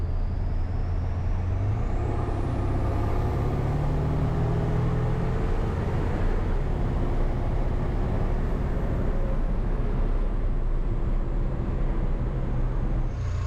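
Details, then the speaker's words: Ford 7.3 PowerStroke diesel, first start after new KC turbo, up pipes, new plenums, oil crossover kit and fuel bowl reseal: heavy even idle rumble with faint rising turbo whistle; stronger, idle changed, owner guesses crossover tube; normal idle. "it's a lot stronger with this uh with this turbo big big difference amazing difference idle quality is different too I guess that's the oil crossover tube but it idle's completely different"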